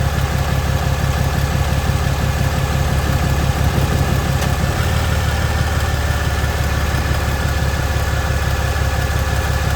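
Deep rumbling idle with a low pop roughly three times a second, fairly regular; popping noise from the engine, cause not yet pinned down.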